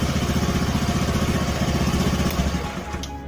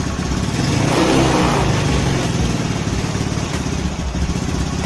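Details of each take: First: Honda Spacy/Beat carburettor scooter after carburettor work and vacuum diaphragm/slide adjustment; single-cylinder putters at steady even beat, idle stable without stumbling or surging, slide working normally with throttle, normal idle. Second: Honda Spacy/Beat carburettor scooter idling before repair; idle drifts up and down, unstable, slow to return, hunting from shifted carburettor vacuum diaphragm.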